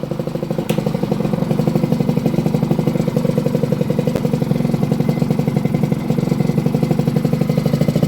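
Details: Restored 38-year-old Honda bosozoku scooter after fitting a larger 102 jet in the carburettor, running with the choke off. Quick, even single-cylinder putter with steady firing, no misfires or rattles; healthy.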